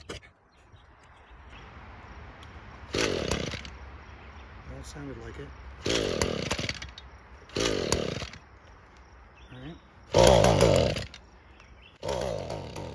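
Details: Old Echo GT-225 string trimmer, cold, after fuel system rebuild (cracked fuel bulb had caused a vacuum leak): short rev bursts rise then choke off after about a second, quiet idle gaps between; bogging at high rpm, owner suspects carburetor adjustment.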